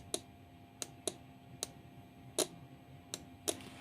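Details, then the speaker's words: 12V relay in an Arduino appliance-control demo: sharp, clean single clicks with no chatter as the contact switches from normally closed to normally open and back. Normal relay switching. "ये है relay work कर रही है। Normally close से normally open की तरफ जाके ये जुड़ रही है।"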